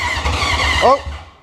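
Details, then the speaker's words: 1980 Honda CB750 after sitting 35 years, on a jump box: short burst of ragged low firing pulses under a second, a brief squeal, then fades; engine briefly fires then dies. "did you hear that we just actually had a little bit of the bike running"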